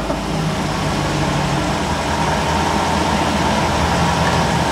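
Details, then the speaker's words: Another owner's car with the barn-find UK C4 Corvette ZR1 project's ECU plugged in: after a bad start, thought to be a bit of fuel, it settles into a smooth, steady idle with no stumbles, ticks or misfires. "is that all right Str Beau perfect cool I miss miss probably had a bit of fuel in it or something on the bad start but then it came back to nor awesome"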